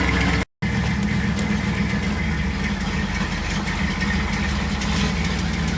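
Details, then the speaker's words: 1986 Camaro IROC-Z, first start after welding the broken Y-pipe: a steady, smooth, deep exhaust with no puffing or ticking. Now leak-free and sounding much better than before the repair. "all right so the uh pipe cell fixed up exhaust is uh leak free now so uh we'll give it its first start you'll be able to hear the difference right it sounds a bunch better"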